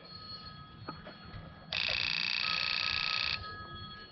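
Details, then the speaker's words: 2001 Prizm (Toyota Corolla) 1.8L, engine off, injector pulsed by an OTC injector pulse tester with a fuel pressure gauge attached for a balance test. A quick, even buzzing chatter; normal injector pulsing. "and that's what it sounds like whenever you hear your injector"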